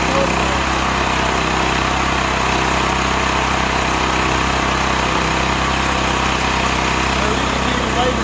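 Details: Stanley 8000 W all-weather generator, bought used after sitting four years, run after starting fluid, meter reading 7 (possibly 7 hours), air filter brand new; steady, even drone at constant speed, no hunting, surging or knocking; running fine.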